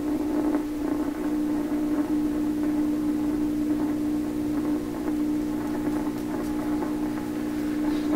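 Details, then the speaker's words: 1928 RCA Victor Model 28V radio: steady low 60 Hz hum constant across the whole tuning range under crackly background noise; mains hum, tube problem suspected, source being narrowed down by pulling tubes. "I listen carefully, I can hear the hum is steady all the way through the tuning."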